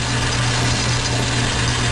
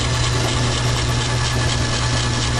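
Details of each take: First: Logan lathe on high speed after new brass idler bushing installed: steady even hum, gear train smooth and quiet with no knocking or chatter. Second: Logan lathe running on high after new idler bushing: steady hum with faint repeating chunk underneath; owner suspects the big pulley is out of balance, not sure.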